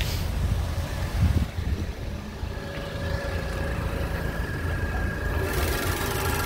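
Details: 2015 Land Rover LR2 pre-purchase inspection, just after start with slight exhaust flap noise at start: smooth, even low idle hum, no ticks or knocks; engine idling healthy.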